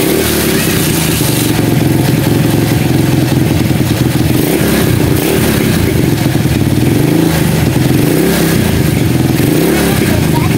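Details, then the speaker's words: Honda CB100 single-cylinder, stored for years, running after carburetor with calcified internals was cleaned and refitted, ignition and compression normal; steady even beat, revs cleanly without stumbling, good fuelling. "oke mas bro Alhamdulillah Ini E ini mesin sudah bisa hidup ya"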